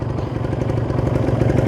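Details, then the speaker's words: Warmed-up Kawasaki Ninja 150 RR two-stroke idling stable above 1000 rpm, temperature risen: quick, even burble with no misses or rattles; running properly and ready to ride. "sudah cukup naik diatas 1000 ya dan sudah stabil temperatur juga sudah mulai naik Nah berarti ini sudah hangat sudah siap digunakan"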